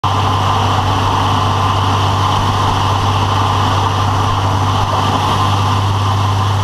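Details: Engine idling after a rebuild with a strange fast, even rapid rattle over a deep hum; the cause is unknown.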